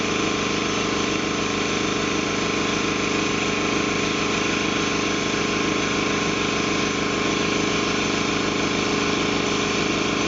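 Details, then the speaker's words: Ingersoll Rand T30 2475 upright air compressor, 7.5 hp, 80-gallon tank, set at 175 psi: steady, even piston thump a little over two beats a second with constant hiss-free hum; no air leaks, runs smoothly. "as you can hear there's no air leaks no issues nice clean air compressor"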